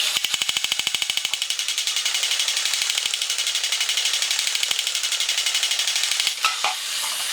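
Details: Vintage 1983 Horikawa Cosmic Fighter toy robot after oiling the motor shaft that was sluggish and squealing: rapid, even clicking of small gear train over light high buzz, no grinding; running fine.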